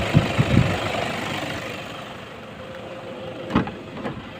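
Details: 2005 Toyota Vigo, about 18 years old, at idle with AC on after an R134a and leak-sealant refill; the compressor earlier sounded harsh with a wind-like noise. It now runs quietly, with only faint background clatter and no whine or grinding.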